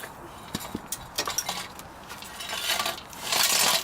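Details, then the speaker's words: Removed catalytic converter from a Porsche 996 911 exhaust being shaken by hand: light tinny clinks and jingles of loose pieces moving inside; broken-up catalytic converter substrate, chunk previously found in a silencer. "Oh, shake it. No, I don't think it's gonna. I can hear bits move."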